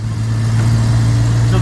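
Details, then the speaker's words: Ford OBS F-150 with 4.9L (300) inline six after replacing a power steering pump whose failing bearing squeaked, system bled; steady low engine drone on test drive with no squeal or whine: normal power steering pump operation. "no more squeaking the power steering pump so that's good and nothing's fallen off yet so that's a plus"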